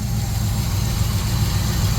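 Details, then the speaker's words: 1966 GMC pickup V8 revived after sitting, running off its own tank and no longer smoking; owner suspects a constricted rubber fuel line starves it under load; deep, even burble at a steady idle with no misses or knocks; normal idle. "Ain't died yet. No? Sounds good, though. Good motor. Well, yeah. Not smoking anymore."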